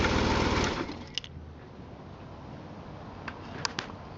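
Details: 1999 BMW R1100RT-P idling, camera on top at the handlebar base: fast, dry mechanical rattle from the engine, loud briefly then fading.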